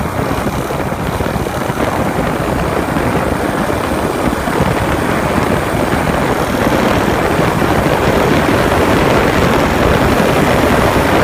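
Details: 2015 Honda Grom with newly installed Takegawa 181 S-stage big-bore kit and performance camshaft: loud fast clatter over the single's beat, likely valve train.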